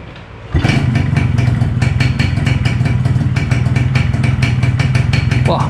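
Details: Yamaha 125Z two-stroke that previously would not start despite an earlier carburettor service: it fires instantly and settles into a crisp, even popping idle with no stumbling. A clean, normal start.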